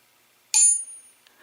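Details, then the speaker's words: Tap test on a VW engine camshaft timing gear of true steel chromoly: one sharp tap gives a clean, high bell-like ring fading over about half a second, indicating a sound, uncracked gear; lower crank-side gear is cast. "that is a true steel chromoly cambiar now the crank side of that listeners listen to this"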